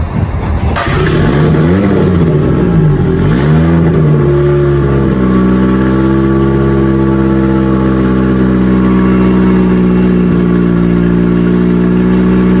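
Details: Mitsubishi Evo turbo build for dyno prep after home upgrades, already driven: engine catches, blips up and down twice, settles to steady even idle with no knocks or misses; fires up good, sounds healthy before boost leak test.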